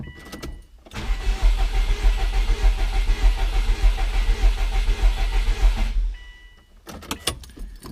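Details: 2003 Subaru WRX with suspected misfiring cylinder, ignition fuse pulled for compression check by ear: about five seconds of starter cranking, rhythm slightly lumpy rather than even; possibly one cylinder low on compression.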